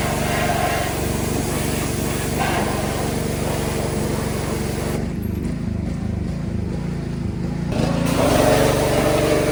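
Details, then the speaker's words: Small engine, likely the pressure washer used to clean a 2003 Dodge Ram 3500 Cummins diesel with 559,000 miles, loping unevenly with a surging, hunting beat and speed dips outdoors; rough running, cause unknown. "Oh. Pressure washer isn't too happy today."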